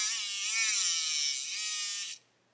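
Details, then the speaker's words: Hachette Avro Lancaster B.III model motor pushed slightly off centre: high-pitched buzz sags and wavers as it drags, then cuts out abruptly; motor binding, later traced to length. "Look, if I push the motor slightly off centre, you can hear something starting to bind."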